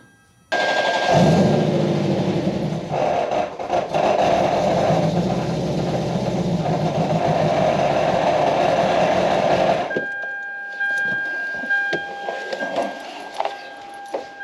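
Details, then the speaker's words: Supercharged Lexus ISF V8, first start after install: runs rough about nine seconds with uneven knocking and rubbing, then shut off; supercharger belt tensioner pulley hitting the outlet S pipe, belt possibly too tight. "Something's rubbing. Turn it off. I found the problem, guys. The tensioner pulley is hitting the downpipe, the outlet pipe. The tensioner pulley is hitting the S pipe."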